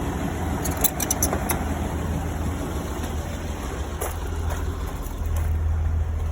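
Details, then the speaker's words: Restored 1982 Toyota FJ40 Land Cruiser petrol engine idling steadily with a smooth low rumble and no knocks, misses or hunting. Owner notes these engines need a lot of vacuum and that it idles great; normal idle. "As you can tell, really idles great. I think in a previous video I explained these engines need a lot of vacuum."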